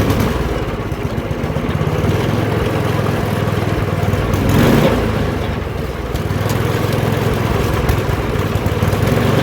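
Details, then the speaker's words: Older MTD 24-inch snowblower with 8 hp Tecumseh engine, dirty carburetor bowl, on fresh gas after priming with choke: small single-cylinder engine holds a steady fast popping run without surging or stalling; runs pretty good, carburetor still to be replaced. "all right you guys so that's gonna do it for this video thanks for watching this thing runs pretty good"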